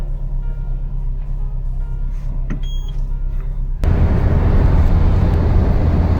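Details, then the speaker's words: Citroën Xsara Picasso 1.8 16V idling after an ignition coil swap and new Denso KH16TT spark plugs. It has a low, even idle with no stumbles or jerks. The earlier slight misfire feel is gone, so this is a normal idle. "Ogólnie nic się tutaj jak widzicie nie świeci silnik pracuje równo bez żadnych szarpnięć"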